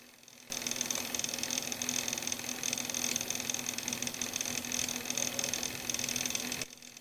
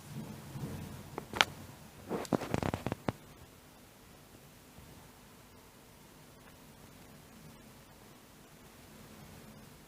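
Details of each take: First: Laptop/computer cooling fan running: harsh hiss, high thin whistle and low hum, the fan very noisy from a dry, worn bearing, before repair. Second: Laptop cooling fan after repair and reassembly, no replacement needed: it runs quietly with only a soft, even airflow hiss and no rattle or grinding; previously it was very noisy.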